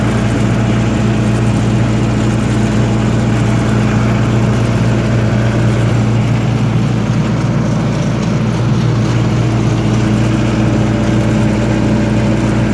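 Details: 1995 Libby MEP-804A 15 kW ex-military generator, 4-cylinder liquid-cooled Isuzu diesel rebuilt in a 2010 reset, 688 hours, new filters and fluids, started cold, fixed 1800 rpm: constant steady drone, no knocks, rattles or surges, running healthily, no leaks.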